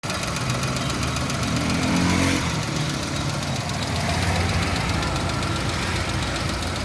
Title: 3296054 alto engine noise